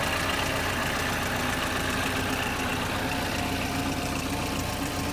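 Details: 2011 Chevrolet Equinox at idle: loud, busy, rattly clatter ticking about four times a second over the engine hum. Dealer said it is normal; cause unknown.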